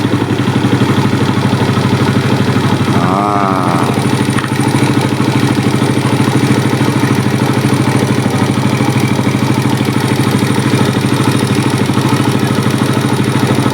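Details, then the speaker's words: Suzuki Smash single-cylinder with smoke and rough running when hot, slight compression leak suspected: after carburetor adjustment, even steady idle without misfires or surging; normal, problem attributed to carb setting. "Nah, ini masih normal ya cuy ya. Berarti ini settingan karbunya aja."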